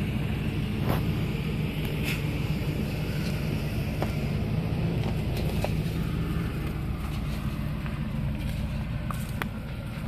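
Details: 2006 Lincoln Navigator 4x4: irregular sharp clicks over a low, steady engine rumble, with no driveability issues; source of clicking unknown.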